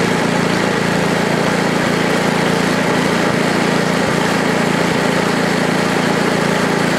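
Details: Ariens ST824 8 hp snowblower (model 924050) with bad wheel bearings, started right up with throttle stuck about mid-range: loud even single-cylinder drone, no misses or surging; engine running well.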